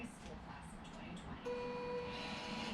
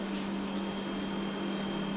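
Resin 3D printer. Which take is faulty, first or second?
first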